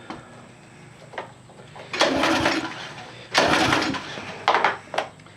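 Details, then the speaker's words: Troy-Bilt pressure washer engine, reported not firing, pull-cranked with spark plug out; gauge reads about two pounds, soft airy hiss with almost no compression push; head leak suspected: low compression. "a little bit of compression not much you can hear that hiss hit that"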